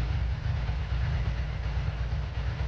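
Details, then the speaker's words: 2003 Ducati ST4S V-twin idling lumpily after a gear selector spring repair, with a loose clattering rattle from the worn-out dry clutch due for replacement. "so this bike will be back uh sometime soon for a new clutch that's why it's so noisy at the moment"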